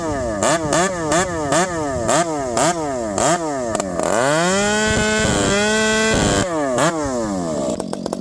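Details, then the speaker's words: Ported Stihl MS460 two-stroke chainsaw with a homemade pipe, cutting wood: a string of sharp rev blips climbs and drops quickly, then a sustained high scream; this pipe is snappier and faster than the other pipe; normal revving. "This pipe, friends, listen to it, it's snappier. It gets up and going way faster than the other pipe."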